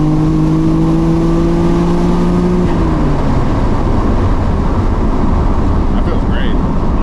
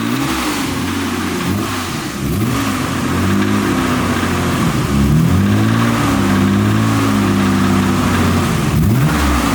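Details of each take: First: Freshly rebuilt Nissan R32 Skyline GTR, after blowing its motor, on a third-gear pull during remote tuning: strong, smooth exhaust drone climbing steadily, no misfire, stumble or knock; driver says it's real smooth; healthy engine under load. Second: Nissan R32 Skyline GTR: under revving, a deep uneven knock follows engine speed over the exhaust note; caught early, rod knock suspected, not confirmed.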